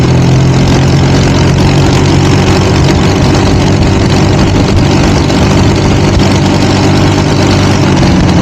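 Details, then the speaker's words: Sears dragster with Duromax 440cc single-cylinder engine in third gear: flat steady high-pitched scream that stops climbing, never past 5,800 rpm versus the known 6,200; fighting the rear tires. "Okay, right about here is when you can hear the engine has just plain topped out. But here's the problem. It's not topping out where it should be topping out."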